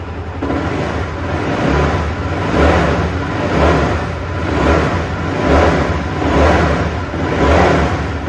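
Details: Honda CBR150R FI (Thai-built) single revved in steady blips on the stock exhaust after replacing the cam chain, tensioner guide and tensioner; crisp, clean rise and fall with no rattle or chain slap, much smoother than before. Normal revving.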